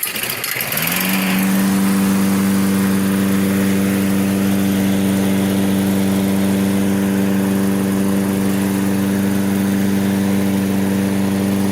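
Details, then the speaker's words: Toro self-propelled mower, Briggs & Stratton 6.75 (believed) with auto choke, which would not restart when hot, after a basic tune-up and fresh gas: starts on the first pull, then a steady even drone; normal hot start and running. "let's give it a yank first pull it's cranking up first pull see what it does as the engine heats"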